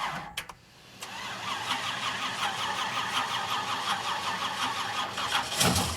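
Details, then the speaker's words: 1967 Pontiac Firebird barn-find V8 with a new Holley Dominator carb, plugs and wires, first start: rough, uneven idle with faint light ticking and squeaking. Zero oil pressure; owner fears the bearings are already damaged. "Unless that gauge is broke, there's no oil pressure."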